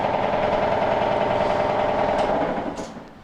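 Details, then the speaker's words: Belt-driven Maytag MAV6451AWW top-load washer that drains and spins fine but won't agitate: loud, harsh rattling grind at about three to four pulses a second; faulty transmission. "so that's the noise that it's making and um you know it's not it's not agitating instead it's making all that racket"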